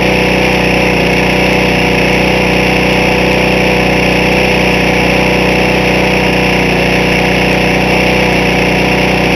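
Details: Briggs small engine previously run without oil, restarted with ether after teardown: scored cylinder walls, piston with 1/4 inch side play, scored crank, burnt valves, oil blowing from crankcase breather; runs fast and harsh with faint steady rap, blow-by.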